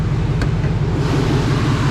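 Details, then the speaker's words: Chevy Monte Carlo SS bought from a Copart auction, which has an exhaust leak: steady, even low engine drone with a regular pulse and no knocks or ticks; engine sounds good; normal running. "Engine sounding good. Hey, I ain't gonna lie, this motherfucker engine sound. This motherfucker sound way better than my damn engine."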